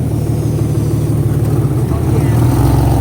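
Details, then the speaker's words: Infiniti Q50 3.7L VQ37 big-turbo setup at idle after spark plug replacement: loud idle with fast ragged puffing tick over low rumble; exhaust leak where the manifold meets the first pipe. "We got a nasty exhaust leak right now. So what? You hear it? Yeah, I hear it. Yep."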